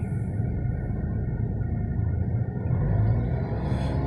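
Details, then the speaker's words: 2019 Tata Tiago XZ+ petrol at 3000 km, phone near the steering wheel, windows closed, revved in place to about 2000–3000 rpm: steady low cabin engine hum swelling smoothly with revs, no knocks or rattles, normal. "तो ये जो नॉइज़ शायद आप सुन पा रहे होंगे, ये 2000 पे इतना नॉइज़ है, 2000 के ऊपर इतना नॉइज़ है।"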